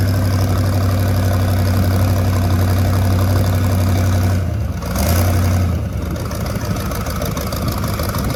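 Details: Rat rod small-block Chevy 350 V8 with a new turbo cam, replacing the stock one: deep steady rumble with a lumpy pulse about four times a second and a brief dip midway; normal idle.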